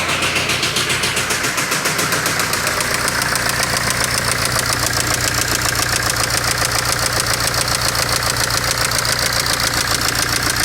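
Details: BMW N47D20 diesel idling: steady rapid tapping about two to three knocks a second over the clatter; sounds like an internal engine knock, cause suspected, not confirmed.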